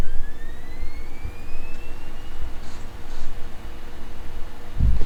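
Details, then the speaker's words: Mid-2000 iBook G3 clamshell (366MHz G3) optical drive booting a burned OS 9 install CD: thin whine climbing in pitch as the disc spins up, straining to read but eventually reading; optical drive spinning up on burned CD. "it's loaded a burn disk but as you can hear now it's struggling to read it but if we sit here long enough it will read it"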